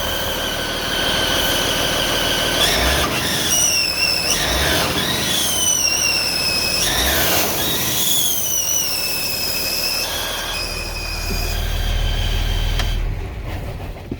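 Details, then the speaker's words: Freightliner M2 106 with Cummins diesel, revved: high shrill belt-like squeal rising and falling with each throttle blip, smoke in the engine bay; leaking exhaust manifold-to-head gaskets, belt not the cause. "So basically, what ended up happening was, after all the work that I did, the exhaust manifold gaskets, the ones that go between the manifold and the head, decided to"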